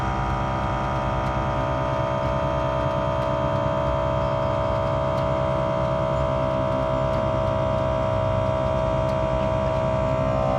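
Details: WirelessOne onboard compressor on a 2023 Ford F350 Super Duty filling Air Lift LoadLifter 5000 Ultimate air bags toward 70 psi under worst-case front-heavy trailer load: steady electric hum with fast regular pumping beat, constant tone; normal operation.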